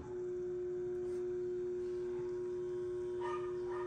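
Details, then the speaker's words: Electrolux LTD11 washing machine, inlet valve activated via MAT self-test monitor, no water hose connected: steady clean mid-pitched hum, valve switching on normally and off when Off is pressed. "eu não sei se vocês conseguem escutar mas a válvula foi ligada normalmente aí quando eu aperto off ela desliga"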